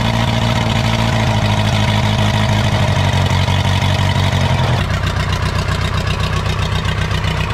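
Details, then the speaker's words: 1980s Komatsu D31S track loader, Cummins 4D105-3 diesel, sat 5-10+ years, first start after reconnecting fuel pump; heavy uneven lumpy idle with loud low thumping, note then changes abruptly; rough idle, cause unconfirmed. "I did not think this was going to start when I first looked at it a couple weeks ago. It even idles, although it's shaking the whole earth."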